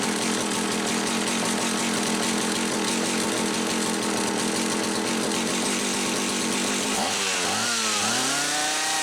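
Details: Homelite 360 chainsaw, previously running inconsistently, holds a steady even high buzz and then slows cleanly after the misaligned carburetor intake bushing was fixed; carburetor set about one and a quarter turns out: runs right.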